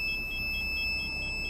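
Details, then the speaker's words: 2020 Dacia Duster with newly fitted independent rear parking sensors, in reverse: steady high-pitched electronic tone with faint pulsing as the rear sensor detects a nearby post; normal obstacle warning. "arka taraftan dükkanın hemen köşedeki direkten algılama yapıyor ve ötüyor"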